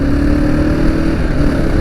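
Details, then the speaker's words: 2nd-gen Kawasaki KLR650 with SW Motech skid plate after vibration fix, riding through 3500–3700 rpm: smooth single-cylinder drone pulling evenly, no metallic buzz from the skid plate; normal running, no vibration buzz. "now we should hear something on the takeoff as we creep into that 35 to 3700 rpm range nothing"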